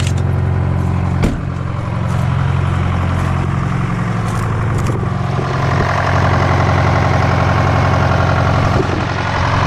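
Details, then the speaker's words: Detroit 4-53TIB two-stroke diesel, fully rebuilt to Silver Series after a busted liner, warm idle at the shop at -7 °C: steady even low rumble with smooth rapid beat, no misses or knocks; runs cleanly. "I rebuilt the whole engine put it into a silver series and uh it's been Golden man this thing runs so nice it's uh just beautiful"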